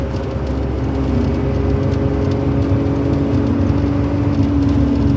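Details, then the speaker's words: Suzuki Jimny JA22 road test at 120 km/h after rear wheel bearing replacement: steady road roar with light glass rattle and wind noise, no hum or growl; bearing repair sounds successful. "I don't hear anything. I mean, glass rattling, you know, Jimny wind noises. We're at 120 kilometers an hour. I don't hear anything out of the ordinary."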